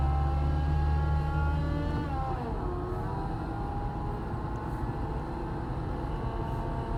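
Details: 2008 Honda Accord running: a droning whine that sags in pitch as revs drop, seemingly from the A/C compressor clutch; the owner suspects a bad clutch bearing, not confirmed.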